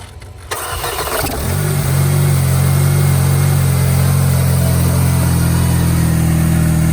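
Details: Crash-damaged Mercedes CLC200, after an oil change: the engine cranks briefly, fires and settles into idle with a persistent low droning hum; an abnormal start-up noise of unknown cause, timing chain among the guesses.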